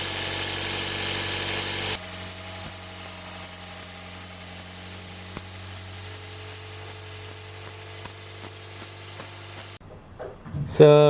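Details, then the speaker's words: 2007 Toyota Yaris at start-up: a rapid, chirping high squeak pulses over a steady low engine hum, from a badly cracked, broken drive belt, fixed by replacing the belt. "they want has some [Music] excessive noise when we start the car they're getting uh squeaky noise you can hear the noise"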